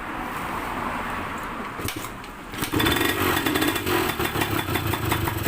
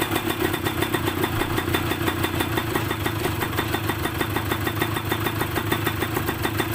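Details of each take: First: Yamaha DT125MX two-stroke with square K carburetor being tuned: crackly idle picks up and runs harder as the air screw is opened from about 1.5 to 2 turns, settled at 2.5 turns. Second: Yamaha DT125MX two-stroke with a square-slide K carburetor fitted to cure hanging revs, air screw about 2.5 turns out, just started and not yet warmed up: quick, even popping at a steady idle with no hunting or dips.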